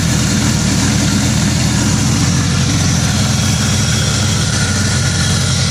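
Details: 2000 Acura Integra: loud, low idle with an uneven, lumpy beat instead of a smooth hum; engine misfiring at idle, cause not yet found.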